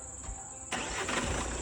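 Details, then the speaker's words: Jeep Compass after complete clutch set replacement and test drive: short crank catches at once and settles into a steady even idle with no rattle or chatter from the clutch end, earlier noise gone; normal start and idle. "നേരത്തെ വണ്ടി നല്ല sound ഒക്കെ ഉണ്ടായിരുന്നു. Sound ഒന്നും ഇപ്പോ ഇല്ല."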